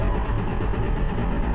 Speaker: All right, so we're testing out the fuel pump. Right now we're cranking the car. It's not starting, but this is what it will sound